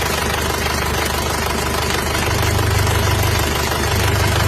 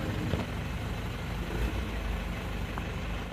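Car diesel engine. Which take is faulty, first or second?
first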